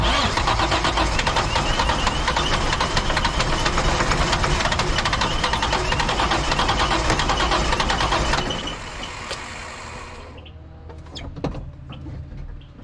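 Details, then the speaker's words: Dump truck diesel after priming: runs roughly for several seconds then fades and dies around ten seconds in, as if fuel-starved; owner suspects bad lift pump not sucking fuel. "Yeah, it is just not getting"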